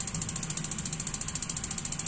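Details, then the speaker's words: Gas water heater igniter check: steady rapid ticking about ten per second, then one firmer click as the gas solenoid opens; normal. "tik tik tik tik tik ya Ini namanya tik tik yang kedua tek gitu Ya itu syarat pertama Insyaallah normal"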